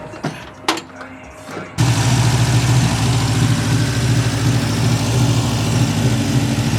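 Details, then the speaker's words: Classic project car with idle adjustment screws backed all the way out, idling at 2,000 RPM: fast, steady high idle that never drops; vacuum leaks suspected, cause not confirmed. "I have the idle adjustment screws backed all the way out, and it's idling at 2,000 RPM."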